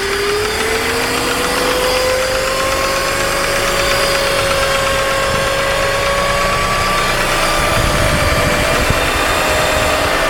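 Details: BMW E46 M54B22 engine: thin whistling tone near the intake manifold, appears about 10 s after start and rises with rpm, intermittent over days; earlier vacuum leak codes, oil separator and hoses replaced.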